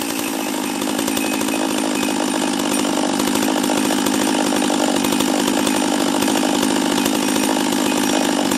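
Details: Husqvarna 44 chainsaw after a new carb kit (first suspected bottom end), base gasket removed to raise intake duration, after a cold start: fast, buzzy two-stroke note holding steady at high speed without surging or dying, running clean.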